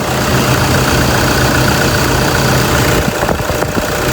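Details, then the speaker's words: Toyota Fortuner 2.5 G, registered 2011 (built November 2010), single owner, with a dry original engine bay. A steady, even diesel clatter at idle with no knocks, misses or hunting: healthy normal idle. "โอเคเดี๋ยวผมจะมาสตาร์ทให้ฟังเสียงเครื่องกันนะเครื่องเงียบเดินเรียบมากๆนะครับ"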